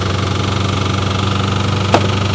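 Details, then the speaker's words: Corvette V8 just fitted with full exhaust, idling: steady deep idle with a sharp metallic clank; owner hears a miss and suspects an exhaust leak underneath, possibly something under the valve cover; cause unconfirmed. "Definitely got a miss. Not terrible, but it's got a miss."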